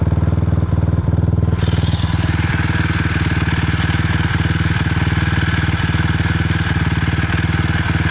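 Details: 2006 Suzuki LTR 450 ATV single-cylinder engine idling roughly, with irregular sharp pops and backfires breaking its deep fast thump; it still has power.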